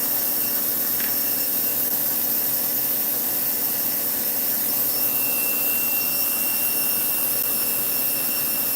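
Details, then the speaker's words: Slot car motor on a Dyno 2.0 after swapping in a different armature; steady, smooth high-pitched whine with even tone and no catching, reading 364; the old armature is suspected tired; normal running. "oh look at that 364 that sounds much better I don't know maybe this maybe this Armature just got a little"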